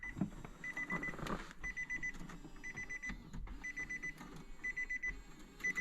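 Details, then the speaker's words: Damaged Nissan 370Z on power-up: the CD player/head unit beeps rapidly in uneven bursts about once a second; the car then fails to crank. "and the CD player is going nuts right now"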